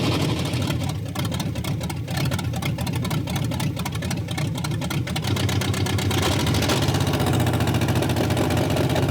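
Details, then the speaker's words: Barneville's engine at its first run, before the full exhaust is fitted: lumpy, stumbling idle with missing pulses, said to be running on 4 cylinders and sounding terrible; misfire, cause not confirmed. "It's alive! Well, 62% of it. That sounds really terrible, and it's running on 4."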